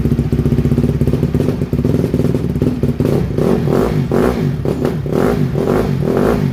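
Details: 2007 Honda CRF150R single-cylinder dirt bike, just reassembled, cold: stumbles and bogs on each throttle blip instead of picking up cleanly, a cold flat spot; no smoke, choke doesn't help.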